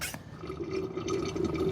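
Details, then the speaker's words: Hand-pumping transmission fluid into the transaxle fill hole until overflow: watery gurgling and dribbling as fluid spills back out, signaling it is full after the first quart. "All right, now all we do is hand pump her, and we're just gonna pump her until she overflows. Hear the gargling sound, and that means we're through with 1 quart."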